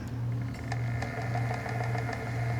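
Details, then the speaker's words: Electric spinning wheel running fast with too little tension: a steady low motor hum with faint, light clicks about twice a second and a slightly wobbly sound. Cause unclear; the spinner wonders if starting the hook further back is the issue. "I don't know why, but the wheel kind of sounds a little wobbly. Do you hear that clicking? Hm. Interesting. I'm not sure why it's doing that."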